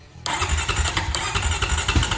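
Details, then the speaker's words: 2006 Honda TRX350FE quad just after starter clutch replacement: quiet, then it cranks and catches at once, with a little spitting, and settles into an even, steady idle; normal start. "all right there it is and i even heard a little spitz bits"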